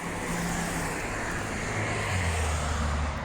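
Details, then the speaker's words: VW eBora/eLavida/Jetta driving after the rear door rubber seals were treated with Mannol silicone spray: a steady low road rumble with no more of the seal squeak over bumps. "нет вообще сейчас давайте отсюда нет звука нет все еще вот и все"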